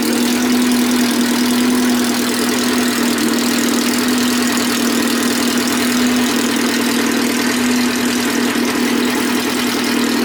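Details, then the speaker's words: Race car idling after a fresh rebuilt cylinder head (new valves, valve seals, keepers) and a valve adjustment, following months of repair after breaking it: smooth even idle, no ticking valves or knocks, sounds healthy. "New cylinder head package, new valves, new valve seals, new keepers, and yeah. So the head's fresh. Sounds good. Sounds healthy."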